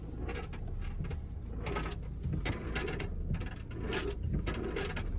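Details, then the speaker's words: 2022 Kia Sorento, driver's side, rocking back and forth on the throttle; irregular hollow rumbling bursts like loose objects rolling, suspected acorns or screws loose inside the rocker panel. "as you can see going back and forth with the gas and you can hear it like literally rolling back and forth"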